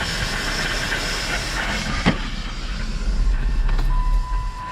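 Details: 2006 Chrysler 300 after Blue Devil head gasket sealer treatment and coolant flush: steady hiss with rough rushing under low engine hum, coolant boiling over from exhaust gas pushed in by the leaking head gasket; sealer did not fix it.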